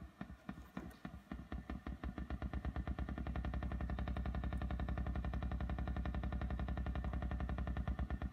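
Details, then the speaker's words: 1975 Fender Super Reverb amp (blackfaced Silverface), tremolo at slowest speed: steady tick about two per second in time with the tremolo pulse over amp hum; ticking, cause not yet found. "and also of course this is the slowest speed of the tremolo and you can hear the tremolo taking"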